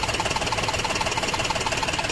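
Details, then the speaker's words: Maruti Suzuki WagonR running on CNG after faulty CNG injector replacement: steady, even idle with fast light ticking about thirteen a second; earlier misfire, vibration and tak-tak knocking are gone. "है यहां प अभी CNG प है vibration भी बंद हो गया है और जो मिसिंग कर रहा था जो आवाज आ रहा था इंजन से टक टक टक टक टकटक वो भी बंद हो गया"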